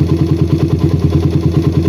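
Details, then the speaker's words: Single-cylinder bike with a PWK carburetor that runs wet at low RPM, before the fix. At idle, pressing the throttle slide shut makes the RPM sag without stalling, though it may die when the engine is very hot. It needs slightly more air with the slide closed. "nah ada RPM turun ya jadi E ketika skap dikasih tegangan Dia rpm-nya turun ya"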